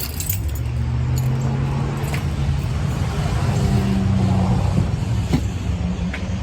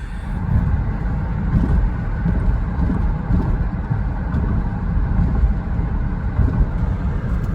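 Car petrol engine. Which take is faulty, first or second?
second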